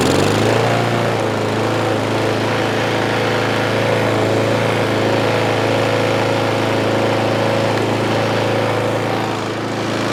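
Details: Craftsman M270 lawn mower, 159cc engine with electric start, after carburetor fix from no-start: revs up and holds a steady, even drone with no misses or knocks; runs cleanly.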